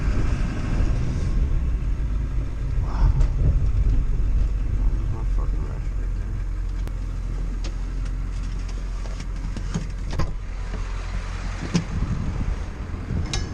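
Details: Ford 7.3L diesel after repairing no-start and blowing fuse 30 caused by internally shorted fuel heater: deep even steady idle rumble, no misses or knocks; normal diesel idle.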